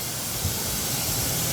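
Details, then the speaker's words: Bin Tac M50 10-inch .50 cal airgun out of the box, bled down: a steady sharp hiss with no mechanical sound, air leaking from the barrel and possibly the fill port, typical AEA HP Max leak spots; worn valve O-rings. "I'm also getting it out of this maybe fill port. And I think possibly this fill port here, yeah, it builds pressure. So we're leaking from all the typical spots that we would typically leak with the AEA HP Max."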